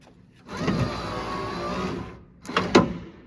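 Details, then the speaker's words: 1979 Chevrolet Camaro (2nd gen) power window motor, freshly reinstalled in a door after hinge rebuild: smooth steady whir about 1.5 s, even pitch, light clunks at the stop; runs well, though feed wire gets hot, judged too small for the motor. "Up and down action. Oh, that's getting hot. That wire is way too small for that motor. She working though."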